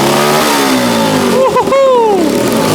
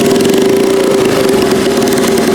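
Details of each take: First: Turbocharged 150cc go-kart on E85, first start; revs rise and fall and a fluttering chatter rides over it each time the throttle snaps shut, the turbo flutter. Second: Turbocharged 150cc go-kart single-cylinder on E85, first start after turbo install: steady strong even buzz around 400 Hz, no misses or knocks; normal idle.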